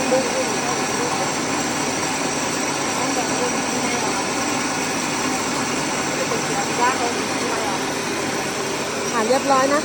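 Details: Rice mill (Sam Yot) test run after replacing the broken motor bearings and fitting a No. 3 shim flange: steady, even drone with no knocking, rumble or squeal riding on it; the machine runs smooth and healthy.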